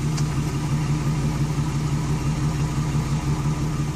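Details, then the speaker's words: Chevrolet Express van 4.3L V6 with a former P0300 misfire on cylinders 5 and 6, fixed by replacing all the lifters after a bad lifter: a steady, even idle with no ticking or miss and no check engine light. "finally works like you used thank God and there's no check engine"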